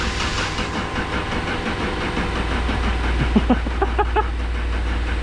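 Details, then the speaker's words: BMW E39 530i parts car said to have a bad motor, with power on but the gas gauge empty: slow, uneven chuffing crank with a few pops that never catches; cranks but won't start, suspected out of fuel or low compression. "it's still not starting but we have power to the car and we can see that the gas gauge is completely empty"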